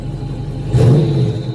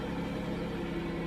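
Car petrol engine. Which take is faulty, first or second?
second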